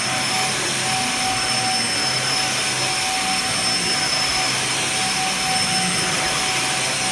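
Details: Dyson DC50 vacuum, running after repair: even high-pitched whine with steady rushing airflow, no surging or rattles; healthy, normal running.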